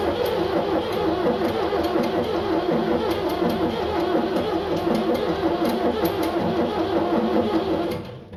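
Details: 7610 diesel tractor cranks with an even churn about three turns a second, never catching or speeding up; jump pack on battery; owner unsure of cause, considering ether.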